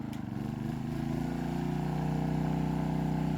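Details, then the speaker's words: Pulsar GD400BN dual-fuel inverter generator on propane, variable load plus first 1500 W heat gun switched on: note climbs smoothly then holds steady with no surging or misfire; normal running under load. "all right so we're gonna go ahead and flip the first heat gun on at 1500 watts you'll hear it ramp up"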